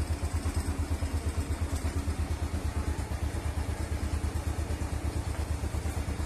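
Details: Small single-cylinder motorcycle idling after it had stalled. The old spark plug was burnt clean on a stove flame and refitted, gap set to a fingernail's thickness, and the valve clearance loosened slightly. Steady even putter, about ten beats a second, no misses or rattles; healthy idle.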